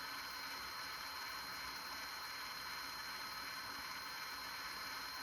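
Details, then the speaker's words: JVC GR-SXM330 Super VHS-C camcorder: soft smooth whir rewinding with no clicking, easing down near the tape's end; normal tape rewind. "So we'll let it go and rewind the tape, and that's normal."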